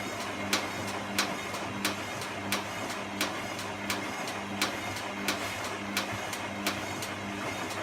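Sharp, regular clicks about once every two-thirds of a second over a quiet hum; cause not evident from the sound alone.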